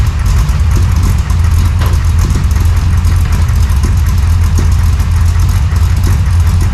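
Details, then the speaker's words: 1968 Chevy Nova SS V8 with new Flowmonster 409 stainless straight-through mufflers replacing the leaking chambered exhaust, no tailpipes yet: deep, even thump at idle with steady lope, no puffing or ticking leaks; healthy exhaust. "There was leaks everywhere, but that's the sound I was looking for. That deep-chested thump, not too loud at idle."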